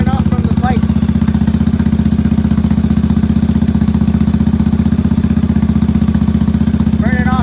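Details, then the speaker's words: 1983 Honda Shadow VT750C 750 after fuel system work, choke off: steady, even V-twin idle with regular low thump, no misses or knocks; slight smoke likely burn-off from pipes; normal healthy idle. "she idles perfectly guys couldn't have asked for much better than this complete all the fuel systems good"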